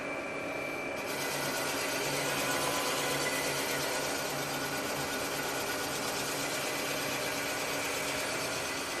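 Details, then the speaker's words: Rottler boring bar reconditioning an engine cylinder: harsh, loud cutting chatter as it cuts the ring ridge, then a steadier, quieter hiss, growing louder again as the bit bores down through the worn taper. "When it first started boring that cylinder, you could hear it sounding quite loud. After a couple seconds, it went quieter. That's showing you the ring ridge."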